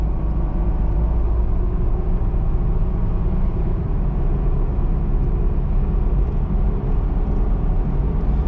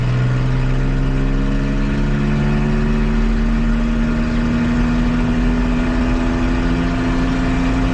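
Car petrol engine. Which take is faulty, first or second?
second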